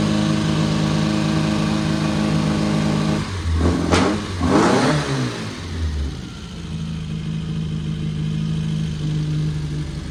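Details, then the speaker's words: Old Austin Mini Cooper after new distributor wire, distributor and fuel adjustment, idling with a couple of throttle blips then settling to even tickover; sounded bad at first, now running good. "sounds good sounds good when we first started it was sounded like trash bro a little bit of tuning a little bit of adjusting"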